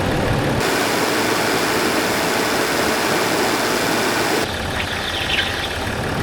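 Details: Land Rover Discovery 4 with freshly rebuilt 3.0L SDV6 diesel: quiet, even idle with soft steady hum, no knocks or rattles; engine running healthy after rebuild.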